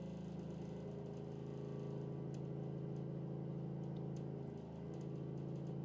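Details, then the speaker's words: Low pulsing motorboat-like drone, about three throbs a second, from household water pipes in the wall while plants are watered outside; water hammer, expected to settle after a while. "It's It's cuz the the wall is right outside my right outside this room. So, it's it's doing a water hammer. It'll It'll straighten out after a little bit."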